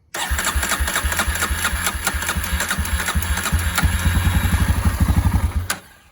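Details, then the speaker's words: Barn-find Polaris Predator quad, first start after several jump-box attempts: the engine catches and settles into a steady, slightly uneven putter of about three beats a second, with no knocks or rattles; runs clean. "What? You heard it yourself. That thing sounds clean. All right. We got a runner."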